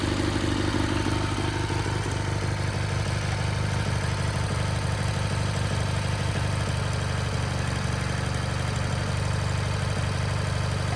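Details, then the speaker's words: Sears GT18 garden tractor after replacing the transaxle that had a failed bearing and grinding gear: small engine drones steadily with even low thrum and faint regular pulsing, no grinding from the drive; runs healthy. "this sounds better"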